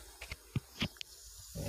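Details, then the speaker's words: Steady faint hiss under handling clicks from an LPG gas cylinder just fitted with its regulator: a leak at the regulator-to-valve connection on a new, still-sealed cylinder. Rolling up the rubber seal did not stop it, so the safety rubber is removed next. "you can hear it exactly like this, it means that there is a leak in the connection, OK?"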